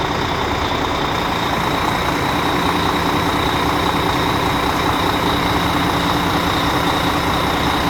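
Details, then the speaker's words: Volvo FH12 truck diesel after engine repair and injector work for a knock, started after sitting overnight: steady, even idle with smooth low rumble, no misses, knocks or smoke; running normally. "мотор сейчас работает адекватно не дымит не коптит всё чётко"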